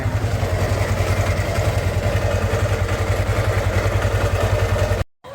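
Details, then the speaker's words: Yamaha Sniper 150 at idle before teardown: steady idle with a hollow regular knock of about three to four beats per second; piston slap, and teardown found a scored cylinder block and piston, likely from oil starvation though the owner says oil never ran low. "So may client tayo, ito yung tunog ng motor ni Bossing. Hindi pa ito ngayon pa lang natin babaklasin. Tingnan natin kung ano yung mga parang barya na tutunugan doon sa loob."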